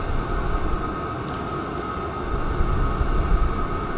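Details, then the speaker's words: Cheap Chinese diesel heater on first test, with air bubbles suspected in the fuel lines: a steady jet-like roar with a constant mid-pitched hum and low rumble, no sputtering or surging, getting hotter. Finding: normal combustion. "we had a little bit of smoke but must not be enough fuel unless it is burning because you can hear it sounds like a jet engine getting hotter getting a lot hotter"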